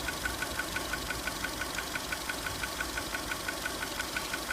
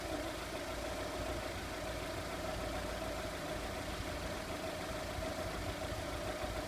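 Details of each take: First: 2002 VW Polo 1.4 petrol, code P0304, idling with the coil packs exposed: regular ticking stumble about three a second from a number 4 cylinder misfire caused by a bad coil. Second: 2002 VW Polo 1.4 petrol with a cylinder 4 misfire (P0304) blamed on a bad coil, idling during coil testing: steady, even idle with a smooth unbroken hum and no audible stumble or skip.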